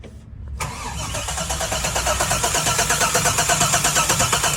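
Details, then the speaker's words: Engine with the Holley Terminator X EFI harness fully unhooked: starter spins it with an even chug about three beats a second, no grinding or clicking. Cranking is healthy, showing the cranking circuit is separate from the engine computer. "So, as you can see, the cranking circuit is completely separate from the Terminator X or any kind of computer system for the engine."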